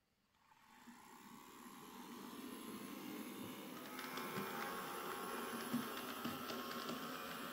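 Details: Hornby J15 model locomotive, bought new a couple of years ago, never ran well (slow, noisy); first power-on test: whirring whine builds and stays rough and buzzy; motor suspected at fault.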